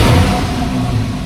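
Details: Porsche 991 Carrera S after replacing the exhaust flap solenoid: starts and revs briefly with a deep, subdued, muffled exhaust note, no loud bark; exhaust stays in quiet start-up mode as it should.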